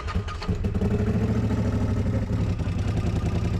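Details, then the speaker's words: CFMOTO Z-Force 800 side-by-side revived with new battery, test run: loud steady low throbbing idle with a raspy edge, much louder than it should be; owner suspects an exhaust leak. "Also, this thing is very loud. I don't know if you heard it from the last uh clip when I had it running. I think it has like an exhaust leak or something."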